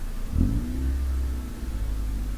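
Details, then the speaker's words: Honda CRX (ED8) after throttle body swap: throttle blip, then engine hangs at raised steady rumble instead of dropping to normal 800-900 rpm; throttle butterfly not returning fully closed until pedal pulled back. "the idle would actually stay like that permanently until I put my foot behind the pedal and pull it back up, and the idle will go back towards like 800-900, which is pretty normal."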